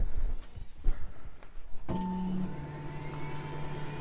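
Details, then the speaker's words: Giantarm D200 3D printer powered on after rerouting the replaced X-axis wiring harness about 1.5 inches clear of the rail: steppers hum steadily as axes home smoothly, no grinding or skipping; normal homing. "Everything is homing. Perfect. It looks like we are in business."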